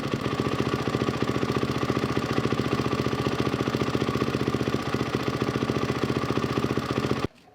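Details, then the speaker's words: 1999 Yamaha WR400F with a Kawasaki KX450F carburetor, fuel mixture screw set at 2.5 turns out (splutters beyond 3.5 or inside half a turn): fast, even single-cylinder putter, steady beat without stutters or misses until cut off; normal idle. "Alrighty, so I've got the fuel mixture screw out 2.5 turns, which is absolutely perfect."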